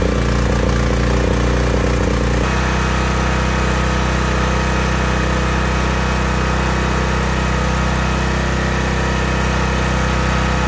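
Small petrol generator engine running steady and even, a healthy sound with the fuel mixture set right.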